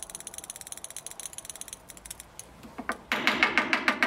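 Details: BMW E30 fuel injector that had stuck and leaked petrol, bench-tested with applied voltage after being tapped and wiggled: at first stiff, now crisp, rapid, evenly spaced ticks getting sharper and louder; injector now clicking freely, normal.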